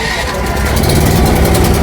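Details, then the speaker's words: New 6 kVA Super Steel petrol welding generator, fuelled with 1 litre of petrol, on electric self-start: catches at once and settles into a steady, even drone with no stumbling, a normal start. "ನೋಡಿ simple start ಆಯ್ತು"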